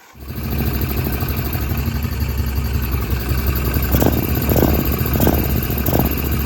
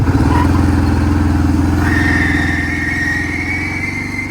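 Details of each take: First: 2002 Kawasaki Prairie 650 4x4 ATV after new drive belts, run slowly to break them in: steady low even rumble with a few light clicks; engine and belt drive sound normal. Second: 2002 Kawasaki Prairie 650 4x4, belt possibly never changed: V-twin chugs at idle while a thin squealing whir rises and holds on top; worn but not shredded CVT drive belt, replaced.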